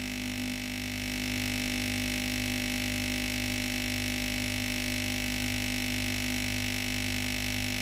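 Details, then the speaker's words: Philips GC9682 steam iron, cooled then switched on with the steam button: the boiler heats and a steady electric pump buzz with a faint pulse is heard, but no water is drawn from the tank into the boiler. The pump has failed. "Il y a le bruit de la pompe à eau qui fonctionne. Mais il n'y a pas d'eau qui sort de la chaudière (le"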